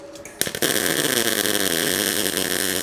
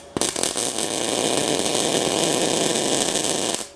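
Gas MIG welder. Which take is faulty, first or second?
second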